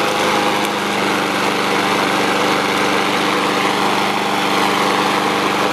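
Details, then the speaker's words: Honda GCV160 mower engine after carburetor cleaning to fix idle surging: it holds a steady, even buzz with no rise and fall in speed after running five minutes. The surging is fixed and idle is normal. "all right guys we just let that thing run for five minutes no surging or anything that's a good fix for these Honda engines"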